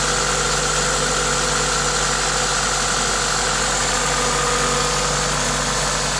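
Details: Toyota 2ZZ-GE engine at idle with an aftermarket induction kit: smooth, even idle with a strong steady intake hiss from the open filter, no knocks or ticks; normal, healthy engine noise.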